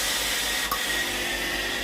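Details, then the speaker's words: Tefal steam iron GV9582T1/23B, boiler-fault test after machine ready: soft solenoid valve click then steady even hiss of steam on pressing the water supply button; normal steam output. "When the machine is ready for use, press the water supply button to test the steam system. There is a sound of the solenoid valve working"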